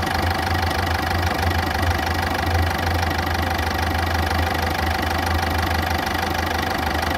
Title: عندي صوت تكتكة و ارتفاع وخشونة في صوت محرك السيارة - الجواب تحت الفيديو في الوصف / FORD FIESTA